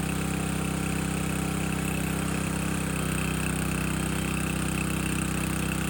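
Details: Landworks 20-ton log splitter's single-cylinder engine splitting a second log at least twice as heavy, possibly wetter or hardwood; steady drone deepens and firms as the ram takes the log, smooth and even; split well, healthy under load.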